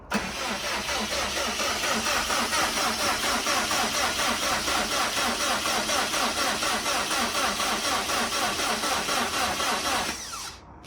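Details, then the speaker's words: Subaru STi project first start attempt, oil pressure reading zero (sensor suspected bad), 7 quarts in: sluggish, uneven starter churn about two beats a second that never catches; weak battery cranking very slowly. "It is cranking very slowly. I'm just saying, it's like a very, Battery's about to be toast."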